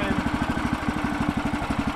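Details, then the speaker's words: Woodland Mills sawmill single-cylinder engine, just started on choke with its key start, thumps about ten beats a second, uneven and sagging; fuel starvation because the fuel valve was off. "Sounds like she's dying. Oh, she's dying. Brother, can't be dying on me. You put enough gas in it?"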